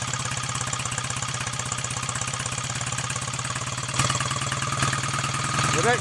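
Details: BSA A65 Lightning twin, first start after full engine rebuild with new big ends and mains and top-end overhaul, electronic ignition not yet strobe-timed: steady even idle with crisp exhaust pulse, no knocks or rattles.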